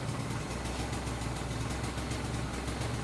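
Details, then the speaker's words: Engine freshly fitted with a BBK kit, about 40 miles into break-in on its second tank of standard gasoline; idle sits very low and lumpy with uneven rising-and-falling thumps, owner unsure if humidity is the cause; white exhaust smoke also noted. "today my idol was very low I don't know appends do with humidity or know what it was"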